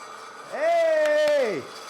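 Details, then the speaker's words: Swedish-made Jupiter pneumatic power hammer after fitting new seals, which owner hoped would fix it not rising to its top position: motor whines up, holds a steady even hum about a second, winds down; healthy start, now running as intended. "yes oh yeah what an absolutely fantastic way to spend the day and get the power hammer to finally run as intended"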